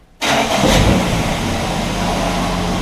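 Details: 1965 Plymouth Valiant 170 slant six, heat riser closed to stop carb boiling, junkyard manifolds, carb with worn loose throttle shaft (vacuum leak): normal start, catches instantly, brief rev, then smooth even idle with no misses.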